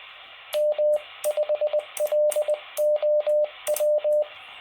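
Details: Quansheng UV-K1 on NR7Y firmware v1.1, CW sent with breaking mode off. A steady mid-pitched Morse tone keys cleanly over soft receiver hiss; popping from the speaker appears only with breaking mode on.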